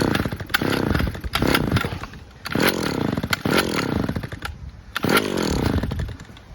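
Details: Stihl petrol two-stroke trimmer after cable reconnection fix; revs cleanly from idle to full scream about four times, picking up and dropping off crisply; running at 100%, normal.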